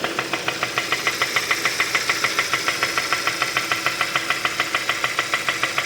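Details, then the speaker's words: 2015 Kia Optima 2.4, code P1326, flashing check engine light, lacking power, leaking oil; sharp even metallic knock about twice a second at idle, growing louder, internal engine knock, risk of engine seizing. "Guau no pero eso ya no es sensores de eso ya no son No excesos eso realmente es el motor que está sonando"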